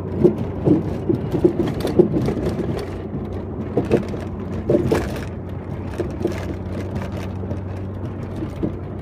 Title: Volvo 850R Clunking Noise